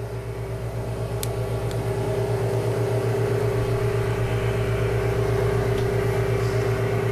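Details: Valve refacing grinder started with freshly dressed stone, no contact with the valve yet, lubrication being supplied: steady motor hum with clear even tone and low pulsing drone, no grinding contact; running normally.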